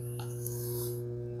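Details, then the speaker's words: 345 kV transmission-class autotransformer tapped at 115 kV, heard running with a steady, deep hum at 120 beats per second from 60 Hz core vibration, with a faint buzzy overtone; normal operation. "you hear that hum it's the vibration of 60 HZ the frequency of reversing positive toga 60 times per second alternating current as opposed to direct current"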